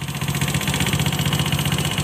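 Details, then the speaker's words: Honda Scoopy FI scooter at idle: coarse, rapid rattling clatter over a low hum that persists with the CVT removed, so it comes from the engine. "Berarti bunyi kasarnya itu bukan dari bagian CVT-nya ya, melainkan dari bagian mesin. Berarti ini motor harus bongkar bagian blok mesinnya ya, seperti blok seher kita cek dan bagian headnya kita cek."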